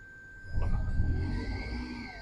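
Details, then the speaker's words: 2011 Toyota Camry Hybrid with P2103 throttle body code, after new throttle body installed: engine note jumps up and rumbles unevenly, swelling and easing without throttle input; idle surge, cause unknown. "So, it runs in hybrid mode, which is nice, but I would like for it to run in regular mode as well, but it's surging, and I don't know how to make it not do that."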